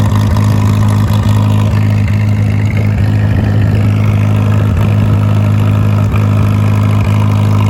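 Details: Farmall M tractor, smoky and misfiring: deep steady idle with a stumble about twice a second breaking the beat; fuel bowl refilled with little improvement, points gap being considered, cause not yet confirmed.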